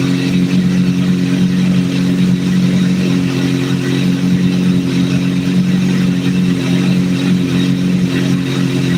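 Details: Idle captured during a vacuum sync, after adjusting number 3 until it is as good as it's going to get: smooth, even hum at a steady idle with no hunting, misses or mechanical noise; a healthy idle.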